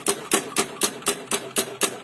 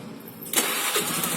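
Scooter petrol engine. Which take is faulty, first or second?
first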